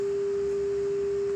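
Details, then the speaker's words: Carver MXR900 receiver, previously one channel out plus ground hum: single pure steady test tone with no low buzz, then clean silence; ground hum gone. "one thing i noticed that signal the white one left channel f205 was uh was kind of tight there's some tension on that wire so that could very well be a problem and uh i'm not hearing a ground hum anymore either"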